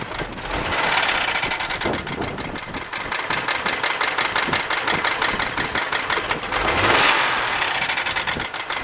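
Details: 1995 Buick LeSabre 3.8 V6 knock at idle: sharp ticking about three per second over uneven idle, seeming to come from the left side; owner suspects valvetrain, a valve staying open or closed, unconfirmed.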